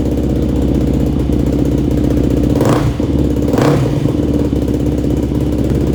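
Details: Yamaha YFZ450 single-cylinder quad after engine rebuild, new ignition parts and carburetor rejetting (main, pilot, leak, starter jets); thumps at a crisp, steady idle, picks up cleanly on two quick throttle blips and settles back evenly; healthy idle.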